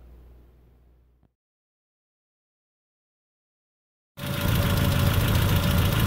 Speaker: welcome back to the show the Spitfire is running a little bit rough it's time to do a tune-up